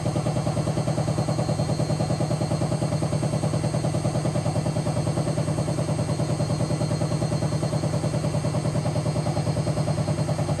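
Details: Hotpoint BHWMXL145 washing machine test spin: steady heavy thump two to three times a second with clatter over the spin hum; two drum spider arms snapped and drum cracked at the back, not the bearings.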